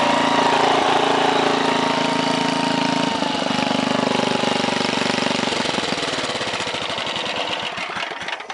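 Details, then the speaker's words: 1968 Briggs & Stratton 7hp 275cc horizontal engine restarted at 3/4 throttle, no load: steady even putter winding down, no knocks or misses; owner says full throttle may need a tiny adjustment but it runs just about perfect. "at full throttle it sounded like it still need a tiny adjustment but of course that's under no-load so obviously once you throw it onto something it'll run even perfect but it ran just about perfect"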